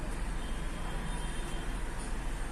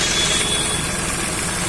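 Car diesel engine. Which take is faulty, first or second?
first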